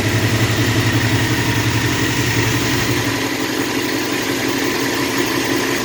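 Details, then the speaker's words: Long-stalled Dodge wagon V8 first run after unseizing, untouched salvaged carb: steady, even idle with smooth low beat, no knocks or misses; normal idle. "We'll try and hit the key one-handed here. It's running. It's idling."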